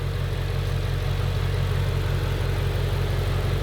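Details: 2018 Ford Shelby GT350 V8, rebuilt Copart wreck, first start after frame repair, slightly warm, light revs: deep steady burble, even pulse, no knocks or ticks. Normal running.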